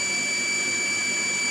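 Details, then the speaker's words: Shimizu 230 booster pump, about two years old, fed from tank 1 m above, weak tap pressure: steady high whine with hiss while outlet is held back; scale in inlet or outlet suspected, unconfirmed. Pump whine under restricted outlet. "ini suaranya ketika sudah mulai pemakaiannya tertahan ya keluarnya ditahan memang dingin"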